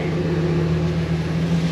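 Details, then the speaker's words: 2002 Ford E-250 van, first run after engine reassembly and coolant flush: steady low idle hum with a constant drone and an odd noise of unknown source; throttle bolts still need tightening. "I don't know what that uh noise is, though. It's kind of strange."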